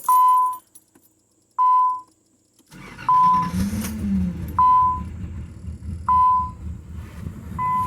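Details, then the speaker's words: Six-cylinder engine just after startup following cleaning of three stuck injectors, now firing on all six: uneven, lumpy low rumble; running rough, possibly from extra fuel sprayed in. "Definitely running a little rough. May just be from extra fuel that I sprayed down in there, but we'll see what happens."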